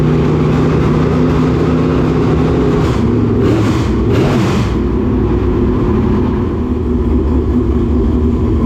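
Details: Dirt late model race car V8 giving a loud, steady drone with a brief rev in the middle, firing evenly with no misses or knocks, checked after a frayed, rubbing belt was found; running healthy.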